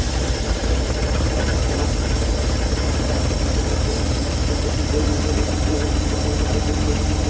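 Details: 1970 Chevrolet C-10 junkyard truck, fuel line pulled off the fuel pump and run straight to the carburetor from a freshly filled tank. Low steady idle with a faint uneven lope; runs unassisted but idles rough.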